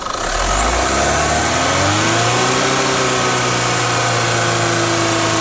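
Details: Chevrolet Captiva FL diesel revved and held around 3500 rpm: rough growling rush over steady tone; turbo growl, with weak pull and hard cold start, blamed on injector and turbo, fixed by cleaning, new turbo hose and injector parts.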